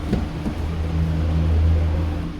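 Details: VW Polo Vivo that had a cylinder 2 misfire, after cleaning and reinstalling the spark plug: engine revs cleanly with a steady, even low drone and no stumbles or popping; misfire gone on idle and acceleration.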